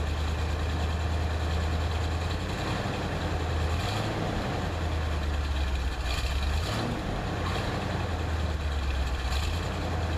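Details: 1978 Corvette Silver Anniversary L82 V8, automatic, started after sitting about four months, about 60°F: deep, steady rumble with even beat and no knocks or misses; clean, healthy idle.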